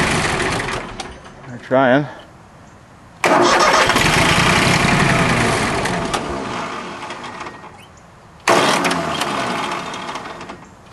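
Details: Small three-cylinder Yanmar diesel with air in the fuel system after a fuel filter change: starter grinds in short bursts, pauses, then cranks until it catches and settles into steady clatter once bled.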